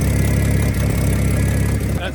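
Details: 1975 Dodge pickup six-cylinder after a new, smaller replacement starter was fitted: even idle with a low steady exhaust beat, no misfire or knock; engine running smoothly.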